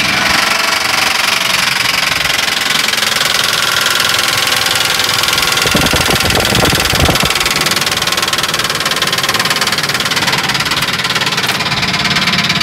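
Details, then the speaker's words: 2005 Ford F-150, noise from the passenger-side valve cover; engine had stalled and wouldn't restart, blown fuses found: busy clattering tick of three or four per second over idle from the top end, likely valvetrain such as a lifter. "Bueno, tengo esta 2005 Ford F-150 con un ruido en lo que sería el lado del pasajero de la tapa de válvulas, que sería en este lado."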